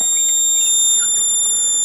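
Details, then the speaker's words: Blackcat JB-76M (JB-200M) mobile two-piece CB amp with two 8417 tubes, recapped with relay replaced, keyed down near 40 W dead key: steady high-pitched buzz from switching transistors chopping DC into the transformer; normal inverter buzz. "they chop up the dc and they feed it to the transformer there and that's how they create you know ac out of uh dc so you hear buzz when you key them down"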